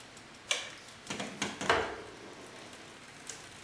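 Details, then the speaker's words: Bicycle front derailleur during limit-screw adjustment: a few faint, irregular light ticks as the cranks turn, the chain just touching the derailleur cage; limit screw turned further and the noise is gone. "and you can hear a real slight tick so we'll go ahead and give it an additional a pattern now everything sounds good"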